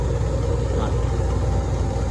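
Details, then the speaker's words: Electro Freeze soft-serve machine with remote condenser, being refilled with sanitizer after cleaning and lubing: steady, even low hum with no knocks or surging as the mix pump fills the barrel, stops at pressure, restarts on draw; normal. "All right, so the pump stops. Under pressure, and I pull. Pump comes on."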